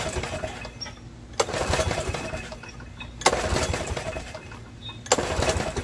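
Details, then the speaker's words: Snapper riding mower, choke on, carb primed with carb spray: three pulls about two seconds apart, each a short churning burst that never fires; suspected fuel/carburetor issue, not confirmed. "And I'm getting absolutely nothing."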